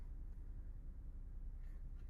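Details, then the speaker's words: Ford Super Duty pickup with 10-speed transmission, cold start: steady low rumble at raised idle around 1200-1300 rpm, slowly dropping toward 1000 within seconds, fan audibly slowing, no knocks or misses; normal cold-start high idle. "and you can see the RPM slowly starting to come down it it's only been running for a few seconds it's already dropped just a tick I can almost hear the fan when it starts to slow down before I even see the tack move"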